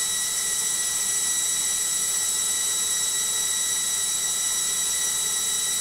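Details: LOGIK washing machine on final spin, unusually noisy: constant high-pitched whine and hiss holding steady through the fast spin; cause not pinned down.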